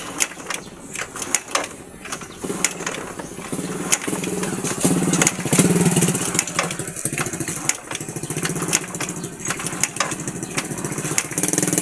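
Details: One-year-old YTX motorcycle that had suddenly stopped and would not start, running after compression returned from about 50 kicks and the spark plug was refitted: fast, slightly uneven idle with crisp exhaust beats and no knocking.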